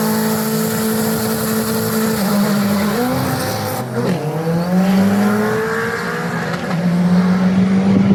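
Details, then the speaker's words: Turbo AWD Eagle Talon on a drag pass with boost raised toward 115: the engine climbs hard under full throttle, then stutters and breaks up midway before pulling again. Misfire under boost; AFR was off, fuel changes didn't fix it, spark blowout suspected. "I don't something happened it seems like we're getting a misfire the AFR was a bit off so we adjusted it and lined up for another pass sounds like spark blowout to me"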